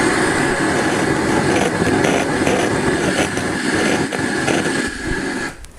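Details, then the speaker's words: Vintage (1970–1995) integrated amplifier with left-channel noise and a high DC offset, powered on with the volume up: loud rough hiss with irregular crackling bursts, then it drops off. One amplifier channel is crackling. "and you can hear this channel a cracking too"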